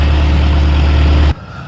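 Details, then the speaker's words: Bobcat 743 diesel skid steer restarting on its own after air was bled from the fuel system: deep, steady diesel rumble with no stumbling or misfire, running evenly and normally. "Yeah, that's better."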